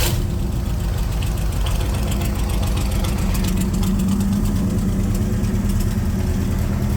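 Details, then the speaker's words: C3 Corvette V8 after carburetor tune (float level and mixture adjusted, idle turned down, previously flooding and smelling of gas), restarted: deep, steady idle with an even beat, no stumbles or misses; smooth idle. "right now it's sounds like it's running pretty good"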